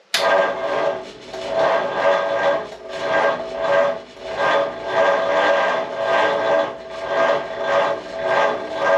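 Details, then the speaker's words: 1937 Ford with a new, tight 59AB flathead V8 on a 6V starter, in neutral and raised up, with oil being nursed in before first start. It cranks sluggishly at about one turnover per second and does not fire; the weak 6V system is suspected to be cranking too slowly. "Crank her some more. Probably ain't gonna fire cranking that slow."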